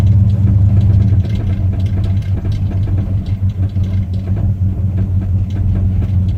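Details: 1968 Cadillac hearse V8 with a newly started clicking: deep, steady idle with a faint quick tapping, about three per second, over the rumble. The source is unknown, and the owner wonders whether it is engine, steering or engine-mount related.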